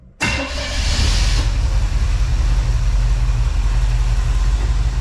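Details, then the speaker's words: 1980 Camaro V8 starting easily and settling into a deep, steady, even idle with no knocks or misses; healthy running, though the rear main seal is leaking and residue is burning off. "Simple Start easy start sounds good"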